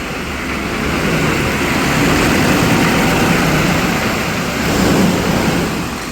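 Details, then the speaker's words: 1995 Chevy 3500 dump truck, 6.5L Detroit diesel, cold after sitting all winter, jumpers on and throttle being feathered, smoking: a lumpy idle that swells and sags every few seconds; rough cold idle close to stalling. "out keep it up it's going to die she don't want to stay awake she's shaking talk about not wanting to come out of hibernation"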